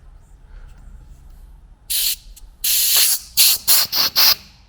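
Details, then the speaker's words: Minitruck air suspension (airbags) leaking: loud sharp hissing bursts, one long and several short, with no engine running, seemingly coming from an old filter; owner suspects dirt, plans to clean it and replace it if the leak continues. "yeah I think I'll pull that off and give it a clean out that'll probably fix that up to be honest but if not if it keeps leaking I'll replace it"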